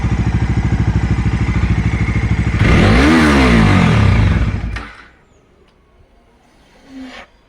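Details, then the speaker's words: Dominar 250 motorcycle, owner's video: steady thumping idle, revs climb hard under throttle, then at high rpm the engine chokes and dies abruptly, followed by a soft suction whoosh suggesting air not being taken in properly. "திராட்டில் பண்ணும்போது பாத்தீங்கன்னா வண்டி ஹார்பிஎம் reach பண்ணும்போது என்ன ஆகுதுன்னா டக்குன்னு அடைச்சு of ஆயிடுது."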